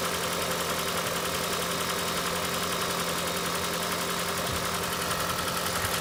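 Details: Engine idling during oil pressure test on a 2012 Toyota Prius 2ZR-XFE: a faint, fairly regular tapping at about two per second over the hum. Knock cause not yet found.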